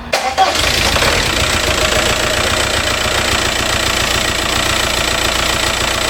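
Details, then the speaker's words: 2004–05 VW Passat TDI diesel, unstarted for six to eight months, glow plugs not cycled, weather not cold. Short crank, then it fires straight up and holds a steady clattery idle without misses: normal start and idle. "there it is guys i haven't started it in probably six or eight months i've had this car for probably a year sitting out back but i haven't even started in like six months and i didn't even cycle the glow plugs no it's not cold but still did not cycle them fired right up"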